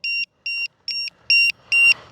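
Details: FMS P-51 Voodoo V2 RC plane with an RCHacker pack after a flight: six steady high-pitched beeps about twice a second. It is the low-voltage alarm for a flat pack; a reading of 2.83 and the lead is warm.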